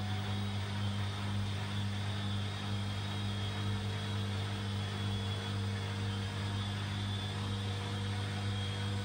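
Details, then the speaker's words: Front-load washing machine on its spin cycle after replacing the shock absorbers: steady low hum, smooth, without the earlier vibration, shaking or annoying noise. "after the replacement there is no more vibration and annoying [Music] noise"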